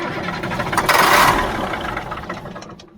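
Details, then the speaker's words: 1977 Mack R-model diesel truck cranks at about three turns a second but never catches; no fuel coming out of the injector pump after priming the manual pump. Owner is unsure why it's not getting air, not confirmed. "that still didn't do anything this thing is I don't know why it's not getting the air"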